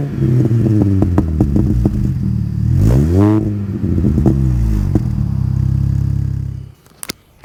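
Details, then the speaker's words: Mini Cooper S R53 just refitted with its factory exhaust after removing a Borla cat-back: deep, even idle climbing smoothly with a quick rev and settling back; quiet, healthy stock exhaust note with mild little burbles. "right so that's what it sounds like kind of cute I guess it's got weird little burbles"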